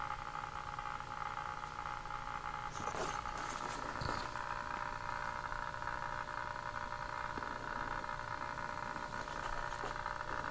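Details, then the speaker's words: Philco 60B tube radio first power-up on a 75 W dim bulb tester, about 75 V line, 197 V B+: steady hum with irregular crackles and pops from the speaker; voltmeter connection quieted it, so the set is picking up noise, cause not yet traced. "That's interesting. put the voltmeter on there and it quieted all that noise right down. So that means I'm picking up some noise."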